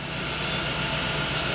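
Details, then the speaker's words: Chevrolet Agile with timing-belt marks checked by oscilloscope and found on time (mark 8–9), yet still misfiring: steady idle with a slightly ragged, uneven beat. "Mas o carro tá falhando."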